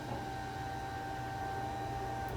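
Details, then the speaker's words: Honda Civic with H22: fuel pump wired directly to battery primes with steady clean electric hum and whine, no surging; pump works normally but engine still won't start, no power reaching main relay. "so we got our fuel pump priming we tried to crank it over there's still nothing going on"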